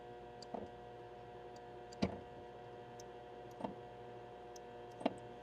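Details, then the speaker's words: John Deere 7600 tractor under spring prep, with a coil reading 10.4 ohms against the 12 ohm spec: four sharp, separate clicks over a faint hum as the brake pedal is pushed, the brake switches snapping over. The owner doubts the switches are at fault, though the diagnostic mode doesn't read the right brake. "I can actually hear the switches going back and forth."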